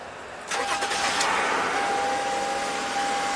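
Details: 2007 Lexus RX350 V6 on its second engine at 190k miles, with random stalling, blowing EFI fuses, a red-hot fuel pump resistor and a replaced pump: a short crank catches at once and settles into an even run with a faint whine; normal start.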